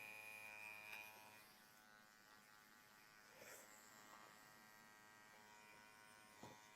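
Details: TATVIDA rotary tattoo machine with Edge Pro cartridge at 9.2–9.6 V: even, high-pitched steady buzz, no wavering; noise acceptable, running normally.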